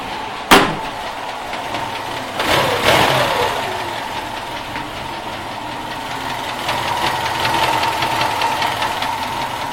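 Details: Light rapid ticking knock riding over idle after a couple of throttle blips, steady rhythm in upper mids; engine knock, cause unknown.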